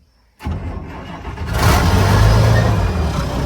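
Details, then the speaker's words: Abandoned IH 4166 tractor diesel, sat since about 2015-2016, battery installed, oil and coolant full, cold start: brief crank, catches within a second, settles into deep even rumble; left to warm up. "right to life. I mean, instantly this thing doesn't want to die, I guess. Let it warm up for a minute and pull it out to the road."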